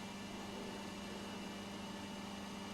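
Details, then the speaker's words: Vintage Petro Scott reel-to-reel tape recorder, 2-track mono, after filter capacitor replacement: quiet even hiss with only a faint steady tone, no buzz or mains hum; running clean, the hum is fixed. "well I'm not hearing any buzzing or humming yet so that's a good sign yes I think that's fixed the problem now"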